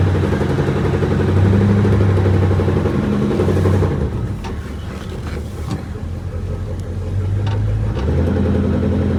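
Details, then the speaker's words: Cold 1965 Ford Mustang coupe V8 pulling away lugged, faint regular driveline knock about four a second returning on downshift to third, gone with clutch in; input-RPM specific, suspected between flywheel and transmission, not confirmed. "You can hear our knock. It does not for the second inch. Everything is cold. Got her lugged down. See that downshift in the third? And that noise comes back. It's definitely input RPM specific."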